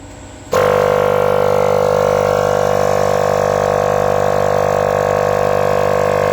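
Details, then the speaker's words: Copeland ZR48 scroll compressor, not burned but mechanically damaged, run on an inverter below Copeland's allowed frequency: starts into a loud steady hum with a tonal drone and slight roughness; middle and lower bushings poorly lubricated and worn. "خب زمانی که با فرکانس اشتباه کمپرسور راه اندازی بشه، دو تا بوش، این بوش وسط و بوش پایین درست روغنکاری نمیشه."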